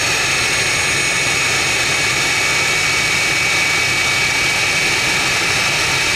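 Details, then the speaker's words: Jet truck turbine, first start after winter, fuel filter cleaned of dirt: steady high-pitched turbine roar with strong hiss, even and unwavering, no surging or popping; running better than ever, normal turbine run. "That looked pretty good to me. Actually, it's run better than it ever has, cleaning that fuel filter out."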